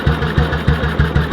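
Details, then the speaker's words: 1958 BSA C12 motorcycle after repair of a misfire that had led to a breakdown, on a road test: an even, steady thump about three times a second with no skips; normal, clean idle. "but it went all right sounds like it used to so for the misfire"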